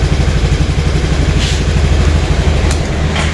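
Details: Honda Vario carburettor scooter after replacing a worn, loose fuse holder that caused no-start: small single-cylinder putters at a steady, even idle with regular low pulses, no misses or stalling; normal idle.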